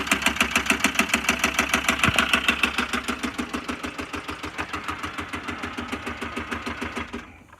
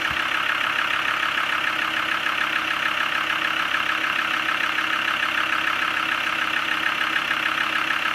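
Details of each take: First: Land Rover Discovery 2 TD5 jump-started at idle: a sharp, steady metallic clacking that grows louder as it runs, until shutdown. Engine knock; bottom-end failure suspected and the engine will be replaced. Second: Land Rover Discovery 2 TD5 five-cylinder diesel, manual gearbox, engine suspected bottom-end failure: steady, even clatter at idle with no misses, knocks or hunting; sounds smooth, normal idle.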